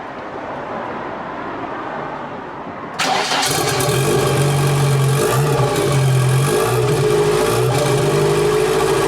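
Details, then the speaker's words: BMW 2002 built M10 turbo engine with E30 M3 S14 parts on first start after swapping crossed plug leads three and four, held at 2000–3000 rpm for cam and rocker break-in; fast, fairly even idle with an occasional slight stumble. "that was ten minutes of annoying the neighbors at two thousand to 3000 rpm just getting the cam used to the rockers and uh it sounds okay it's kind of like stumbling and and runs a little bit like trash"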